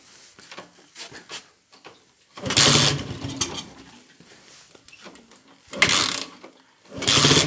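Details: Small Honda Titan motorcycle that had a valve-tapping-like noise caused by a broken rod: engine catches and revs cleanly in three short bursts, dropping to a quiet idle with no valve tapping; runs healthy.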